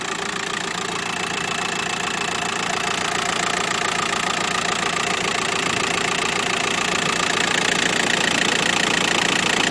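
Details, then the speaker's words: Used 2008 Volkswagen van (T5) with a 1.9 diesel, 75 kW and about 170 thousand km, idling steadily with an even, regular clatter and no knocks, vibration or stray noises: a normal diesel idle. "видите как работает хорошо работает без волнения двигатель без всяких посторонних звуков стуков вибрации"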